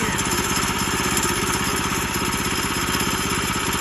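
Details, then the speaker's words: Woodland Mills sawmill small single-cylinder engine idling with throttle released, clutch disengaged and blade stopped: even low putter, no knocks or clutch slip noise, normal idle. "So basically, now it's not moving because I let off the throttle. Throttle is what engages the clutch."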